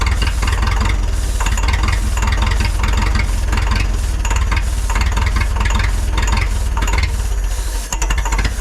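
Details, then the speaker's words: Neglected forklift that sat unused for years, started on starting fluid with a charging system fault: heavy, lumpy low running that rises and sags unevenly then stumbles; owner suspects the carburetor needs to come apart, cause not confirmed. "I don't think it's going to keep running I'm going to have to pull the carburetor apart and we're going to have to see what's going on here it's what happens when you let things sit"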